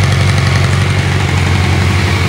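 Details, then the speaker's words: 1986 Yamaha FZX700S Fazer, stock, carbs balanced, idling a little over 1000 rpm: even, steady idle with a low smooth hum and light gear, clutch basket and timing chain rattle, no hesitation off idle; normal running. "can hear the word of the gears and the clutch basket the timing chain not like a modern bike no hesitation off idle idling down"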